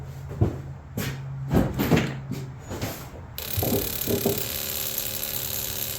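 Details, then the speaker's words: BMW, first start after a second engine rebuild with all new bearings: the engine catches quickly and settles into a steady, even idle with no knocks; sounds healthy. "all right car started right off uh that was probably the best first start I've ever had that one uh was pretty quick I everything sounds good engine sounds good"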